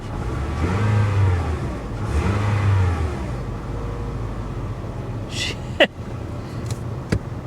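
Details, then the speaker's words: Salvaged 2002 Ford Thunderbird with extremely clean interior and ice-cold AC, revved twice after shifting through reverse and drive; engine climbs smoothly and drops cleanly back to idle with no knocks or rattles; normal healthy engine rev. "she sounds good she does she i'm kind of i'm kind of blown away by this"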